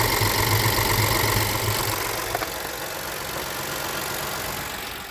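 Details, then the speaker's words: High-pressure fuel pump engine right after a second diesel engine flush, with oil well overfilled: a steady, even idle with a smooth low hum and no knocks or misses. It runs fine during a one-hour idle, though it later smoked and set a check-engine light. "So it's running fine right now."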